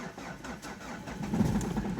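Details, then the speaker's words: Opel Astra 1.9 diesel in winter after repair, started once the glow plugs were warmed: it cranks, catches and settles into a steady, even idle with no stumbling. The cold start and idle are normal. "It started. Yes, well, this repair was successful."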